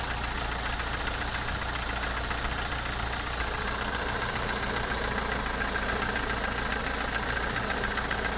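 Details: Opel C20NE engine at idle with new Kolbenschmidt hydraulic lifters: fast, fairly loose tapping knock about three or four hits a second over steady idle; source unidentified, owner asking for help.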